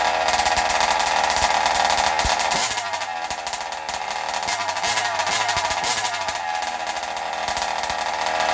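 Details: Zenoah G320 two-stroke in Losi 5IVE T during break-in: harsh, buzzy high-revving note that dulls and softens as the mixture is deliberately richened for more oil; normal break-in running.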